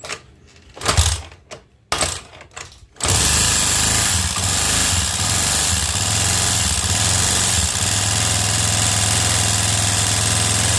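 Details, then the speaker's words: Honda Beat scooter after recent engine overhaul, oil squirted into spark plug hole: starts into a harsh, clattery, very noisy mechanical idle from the top end; suspected piston or decompressor fault, engine to be disassembled. "terus pas dihidupin suaranya Kasar banget kata orangnya sih ini belum lama turun mesin ya"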